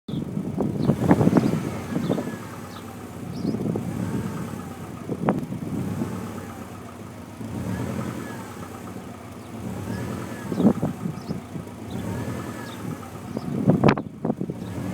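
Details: Subaru Impreza WRX STI V2 import, 90,000 miles, revved in bursts: a rapid woodpecker-like tapping knock, loud cold and quieter warm, then heard only when revving. Owner suspects piston slap, unconfirmed.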